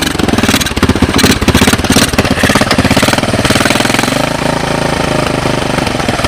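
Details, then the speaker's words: 1986 Honda TRX200SX ATV cold start on portable GY6 12 VDC CDI ignition box, Honda 200S carburetor, choke on: rapid, even chugging settling steadily, no misses, knocks or puffing, no smoke; healthy idle. "chokes on CDI boxes on kind of see the gas going down sounds pretty good"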